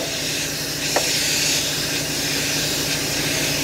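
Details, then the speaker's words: Volvo G88 diesel truck, air supply hooked straight to the brake diaphragm as a temporary bypass: steady sharp hiss of compressed air leaking, over a faint engine rumble. "er biter in so it's going to leak and make a noise but I'm just going to hook that straight air straight to that that diaphragm"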